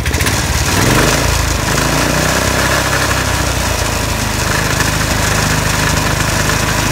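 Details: Winch Skate iWinch small petrol engine revved: a loose, tinny rattle over the exhaust note. A loose part and the loose hitch are rattling, causing most of the noise, while the engine itself runs smoothly.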